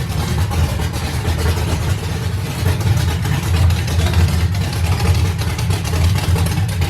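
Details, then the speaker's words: Deep, steady V8 idle with a mild choppy cam lope, even firing, no knocks or misses, on a 5.3 LS swap with stage 2 cam and new Kemso 340lph fuel pump at initial start-up, cooling system not yet set up; normal idle. "I still gotta set up my cooling system but I'm excited. It's got an idle."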